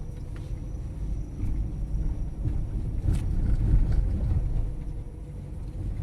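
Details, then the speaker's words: Fiat Strada after installing a new TRW steering box and steering terminal: driving slowly up and down the same cobbled street, steady road rumble with no clunks or knocks from front end; suspension noise gone. "Já desci subi que várias vezes sem barulho nenhum"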